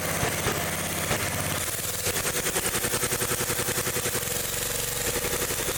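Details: Old Gravely small engine revved: fast, uneven popping that never smooths out and runs badly at high RPM. The points arc when revved and carburetor adjustment doesn't help; worn points and condenser are causing the misfire.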